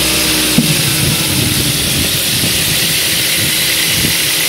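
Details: Ford 1.8 Duratec petrol engine running: loose, irregular rattle under a strong hiss, with a sharp pop early on; owner suspects rattly intake manifold flaps, popping cause unknown.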